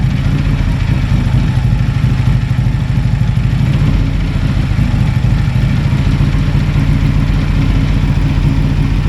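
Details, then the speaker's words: Harley-Davidson on a shop dyno in Kingman, Arizona, owner chasing a clunking noise: heavy, loud V-twin thrum under load with a rough rumbling growl underneath. Worn transmission bearings growling, replaced. "when I went to that Far Side you could hear those bearings growling in there"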